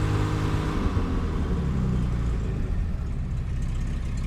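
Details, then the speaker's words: Jaguar XK inline-six in XJ6 donor car, one last run before removal, possibly old plugs, not smoking: deep smooth note rises cleanly on throttle and settles evenly, no knocks or misses; runs well before warm-up. "runs pretty good for a ratty old tank so um okay let's let this thing warm up and then we'll do some other stuff"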